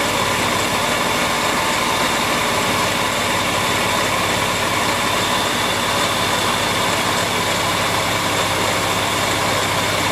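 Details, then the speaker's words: Porsche 911 996 Carrera 4S at idle, heard via stethoscope on belt pulleys: constant dry whirring as the belt runs, vibration felt by hand; tensioner pulley bearing worn, not idler, water pump or alternator. "so but slightly annoyingly it's actually the uh tensional pulley so I'm going to see how I can get that off and have a look at it"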